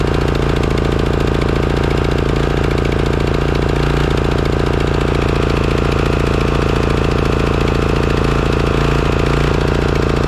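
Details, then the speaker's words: Craftsman riding mower engine at smooth, even idle with no hunting or surging after replacing the completely clogged Walbro carburetor; before, it surged after 20–30 minutes of mowing until it shut down. "okay well it looks like it was the carburetor all along if you recall the condition of this carburetor when i pulled it out"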